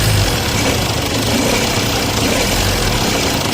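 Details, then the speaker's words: Jeep Compass at idle and light revs: a dense, rough rattle over the idle that grows with revs, traced by removing the fan belt to the alternator. "देख सकते हैं हमने belt अभी उतारा। Check किया तो हमें इसका अल्टरटर का आवाज निकला।"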